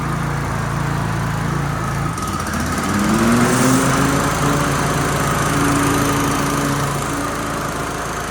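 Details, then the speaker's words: Toro TimeCutter 30-inch walk-behind mower after blade/PTO belt replacement for blades not engaging: engine note dips slightly as blades engage, then settles to a smooth even hum with no squeal or slap; normal engagement. "That looks pretty good to me. That looks pretty good to me, guys. And nothing's caught. It's not too hard to engage."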